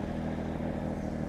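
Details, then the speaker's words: Cold start fast idle with scrubbing (Brillo) pads wired into both tailpipes as homemade mufflers: steady even low rumble, still fairly loud; pads made little difference and one popped out. "homemade muffler, tailpipe mufflers in. It's still a little bit loud."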